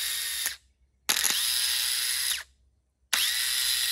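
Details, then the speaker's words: Starter removed from a 2003 Yamaha Grizzly 550 ATV and bench-tested with jumper cables: it whirs in rough, gritty one-second bursts because it is rusted and binding inside; it had first been seized and was later replaced with a new starter. "But this one's making racket, and I can feel, if you ever fool with starters, you can tell if they in a bind in there, what it is, they get rusted in there and stuff. And I can tell with that racket it's making."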